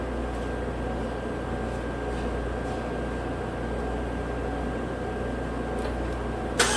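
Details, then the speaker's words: 2017 Chevrolet Equinox 2.4 AWD, first start after swapping in a used engine (the original failed from a PCV freeze-up and blown rear main seal): rough, lumpy idle stumbling irregularly, obviously missing; misfire at idle, cause unconfirmed. "that sounds pretty good oh what's going on there obviously missing oh well"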